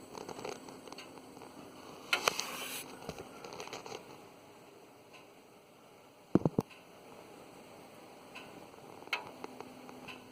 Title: 2004 Pontiac Grand Prix A/C accumulator making noise